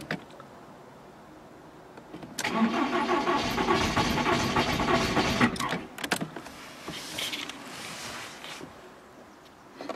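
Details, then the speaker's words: VW Polo with coolant leak and no-start; ignition wires repositioned before retry, unburnt fuel smelled at exhaust: starter cranks steadily about three and a half beats a second for three seconds, engine never catches; crank no start. "je sens des des gaz imbrûé enfin en tout cas de pratiquement de l'essence quoi qui revient ça n'a pas démarré aucun miracle s'est produit"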